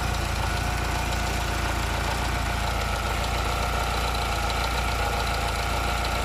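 Engine idles with an even beat but a steady raspy grinding undertone rides over it; source of the grind not identified.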